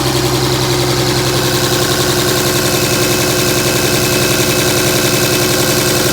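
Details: 2007 Dodge Ram 5.9 Cummins diesel, loud idle with lumpy exhaust pulse two to three beats a second; began a month ago, intermittent fuel rail pressure, MAP sensor and overboost codes; owner asks about excessive blow-by; rough idle, cause unclear.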